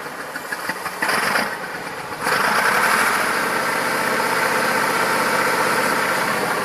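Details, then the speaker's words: Massey Ferguson 2645 tractor, Perkins 6-cylinder diesel said rebuilt 100 hours ago, bad cold and warm starting: catches and settles into lumpy idle with unevenly spaced exhaust beats; suspected valve not closing, low compression in one or more cylinders. "I guess it's not properly closing valve, which also results in bad compression. Bad compression results in poor engine performance."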